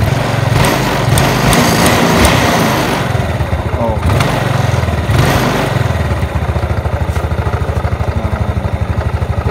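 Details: Yamaha Mio scooter after servicing stuck vacuum carburetor, standard pilot and main jets, 3-turn setting, starts first kick: blips up cleanly a few times, then steady even idle putter with no stumbling — carb responds properly, revving normal.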